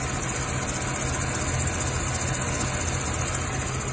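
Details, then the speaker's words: Mercedes C36 AMG engine idling smoothly with a thin, constant high hiss or whir on top from along one side of the engine; owner suspects the tensioner, a pulley or a worn belt. "pulley or something is making noise so we're definitely have to figure that one out"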